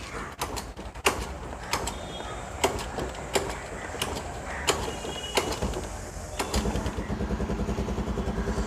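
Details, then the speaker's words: 14-year-old Honda Activa scooter, kick-started without choke: kick-start clicks and handling knocks, then a steady, even little idle from about 6.5 s; healthy normal idle. "as you can hear, this is the engine sound."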